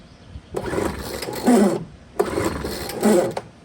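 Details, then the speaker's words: Poulan Pro blower on full choke after primer pumps: two long smooth cord pulls with an even whir and barely any compression chug; pulls very easily, owner unsure whether compression is low. "I mean, it sounds like it might have compression, but man, that just pulls way easy."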